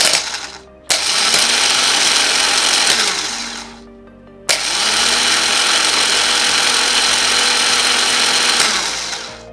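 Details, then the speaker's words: BMW R1150GS starter motor bench-tested off the bike on jumper leads from a battery reading 12.7 V: two bursts of even whirring, spinning up freely; starter works fine, owner suspects the battery caused the no-start. "So that kind of tells me that this works absolutely fine."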